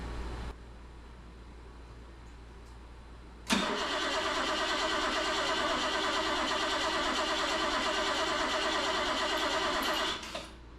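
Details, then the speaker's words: 1977 BMW 530i, fuel-injected, parked 7 years, quarter tank of fuel: about six seconds of steady starter cranking with no firing and no fuel pump hum; spark unconfirmed; crank no start. "I don't even hear a fuel pump not a good sign"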